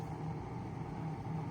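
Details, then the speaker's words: 1975-76 Kou Horng desk fan, tilted up, runs with a low steady motor hum and wavering buzz; worn, dry thrust washers let the shaft rub, owner also suspects bearings; quieted with enough oil. "yeah when you tilt it up then it starts making that noise"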